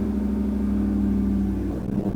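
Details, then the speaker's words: Land Rover Defender 90 with Chevy L83 V8 swap, new controller fitted. Steady drone, then revs sag and waver unevenly: unstable idle, signals read okay but suspected signal corruption. "this should be nice and solid now if Amazon you can hear the revs coming down now"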